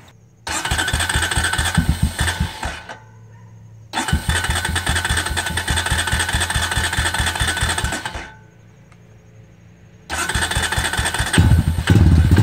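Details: 2002 Honda TRX250EX quad, sat outside 10 years, just started after fuel treatment and fuse replacement: slow steady knocking about two beats a second over lumpy idle; stethoscope places it at the clutch side, owner hopes clutch adjustment fixes it.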